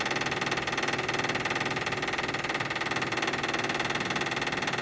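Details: Toyota/Lexus hybrid brake bleed after pad replacement, right rear wheel, pedal held down in test mode: bleeder open, actuator pump runs with an even fast buzzing pulse about four a second, no air bubbles seen; normal operation.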